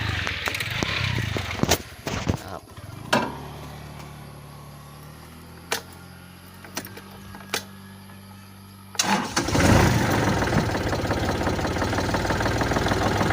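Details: Kubota L4018 tractor diesel after no-start fix (solenoid, starter, 12 V battery checked): a few attempts stop, then it catches and settles into a steady, even idle with no knocks; sounds healthy.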